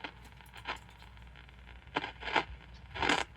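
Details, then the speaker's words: 1951 Admiral model 5J21 AM radio, tuning around the dial receiving distant stations: quiet hiss broken by irregular scratchy crackle bursts about once a second as the dial moves; owner suspects corrosion on the tuner, also a dead spot possibly in the knob. "Yeah, it's weird. Another... Maybe it's just corrosion that's on the tuner."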